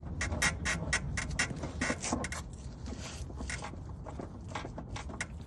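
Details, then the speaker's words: BMW E84 X1 rear suspension: rough creaking and scraping bursts about two a second over low rumble; worn rear control arm bushes suspected, commonly fixed by replacement or greasing the rubber. "so quite a common problem is creaking coming from the rear control arm bushes"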